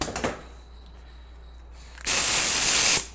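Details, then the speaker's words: 4L80E transmission on the bench, for a 1963 Pontiac Star Chief with 6.0 engine, customer rebuild with no reverse: sharp steady air hiss about a second through the hollow overdrive bolt, cutting off cleanly as the overdrive clutch applies normally. "Applying our overdrive clutch there, and you can hear here we're applying a clutch, and then we can apply another one too here."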